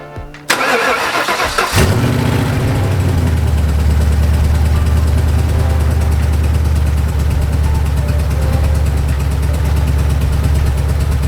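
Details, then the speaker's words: Previously knocking Ford 4.6 two-valve V8, first start after repair with used junkyard crank and bearings and reused rod/main bolts, no radiator, long-tube headers: brief crank then loud steady idle, no knock or tick; normal idle. "all right so to say the least I think we just got an answer despite those long tube headers just making way too much noise the motor is definitely not knocking it's not making a ticking noise it's not doing anything"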